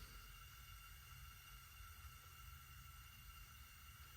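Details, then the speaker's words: 1968 Coleman 200A lantern, valve cracked for a dry burn without mantle after long disuse: soft, even hiss of air through the generator, no gurgle yet, fuel not arrived. Normal startup before lighting. "So I hear the air coming through. We're waiting for the fuel to come through."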